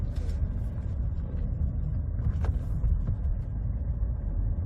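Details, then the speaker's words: Ford, after repair (front end tightened, stabilizer link nuts cleaned, Loctited and replaced with new self-locking nuts), turning: only low tyre and road rumble, no clunks or knocks; front suspension quiet. "perfectly silent all right guys so in the end all we did was tighten up everything in the front end down there"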